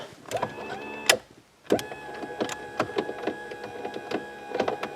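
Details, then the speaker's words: 2008 GMC Envoy front passenger power window: motor whirs but the run is choppy with repeated clicks and snaps; window went down but wouldn't go back up; power present, so not electrical; cable inside regulator housing bound up, motor and regulator replaced. "Yeah, it doesn't sound good. But we know we have power, so we know it's not an electrical problem."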